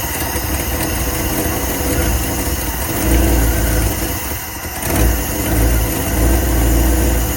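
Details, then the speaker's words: 1954 Cadillac long unrun, battery borrowed from a 59, cranks then fires and settles into a steady even low rumble as the fuel filter fills; carb likely flooded on the first attempt with a pump can. "There we go. There's the fuel filter filling up. Sweet. There she is. I think we flooded the carb the first time through with his little uh pump can there."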